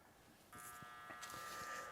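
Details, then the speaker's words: Audio equipment from a sailboat, powered on after reheating and resoldering joints: steady electrical buzz at constant pitch over a quiet room, unchanged by the resoldering; owner suspects a bad transformer. "okay it's plugged in now we're going to turn it on up NOP it's still buzzing NP that didn't do it"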